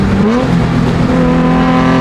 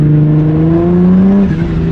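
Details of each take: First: Turbocharged Nismo 350Z with new clutch, hard pulls through the gears: engine pitch rises steadily with road speed, no rev flare, no chatter; clutch holding without slip. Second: Turbocharged Nismo 350Z under load in a higher gear, old clutch: revs climb in a steady rising drone while road speed lags; clutch slipping, not grabbing the engine, before clutch replacement.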